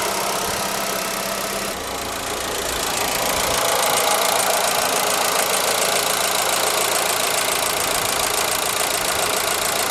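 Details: ZAZ Forza, 2,500 km, fresh 5W-40 synthetic oil, idle: light quick ticking about four per second over steady hum; persists when warm, vanishes briefly on throttle blip; owner suspects lifters or injectors, later traces it to an ancillary unit, engine quiet.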